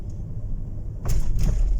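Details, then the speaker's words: 2015 Ford Expedition turbo after spark plug replacement for P0306 cylinder 6 misfire and codes cleared, road test under hard throttle: deep rumble swells quickly and cleanly, no hesitation, no warning light. "الحمد لله ما ظهر معنا أي لمبة ولا ظهرت الانزلاق."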